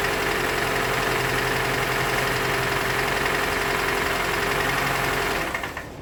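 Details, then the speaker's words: 2013 Toyota Venza 2.7L, first startup after engine install, no coolant: steady idle with a light, even tick near four per second; owner suspects the balance shaft, a known issue, unconfirmed. "I don't like that little noise that it got, but it might just wind up being the balance shaft. They do make noise at the bottom, you know."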